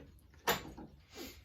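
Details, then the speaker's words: 1982 Suzuki RM80Z air-cooled two-stroke, low compression, runs only seconds: two hollow clunks about a second apart as engine is turned over; owner suspects failed little-end or big-end bearing, possibly crank seals too. "i don't know whether you'll be able to hear there's like a little clunk now i have a feeling there's a bearing so either the little end or the big end bearing is gone"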